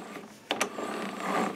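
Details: Self-propelled lawn mower, wheel turned by hand: dry ratcheting click and rasp from the hub, not serviced this year; grease gone and hub gears running dry.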